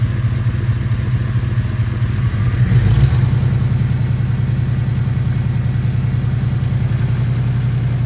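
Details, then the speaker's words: 1989 Chevy C1500 V8 with headers, deleted cats and Flowmaster 40 mufflers, idling in gear with parking brake on: fast, light valve-tick-like ticking about three per second over exhaust pulses, from an exhaust leak at the header collectors, including the right. "hear what an exhaust leak sounds like kind of kind of sounds like a tick if you haven't like a valve tick if you haven't ever heard a exhaust Leake before"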